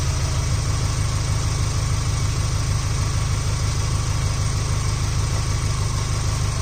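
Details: Subaru Impreza Sport GG idling after oil change service: smooth, even, quick steady beat like a sewing machine, no knocks or ticks; normal idle.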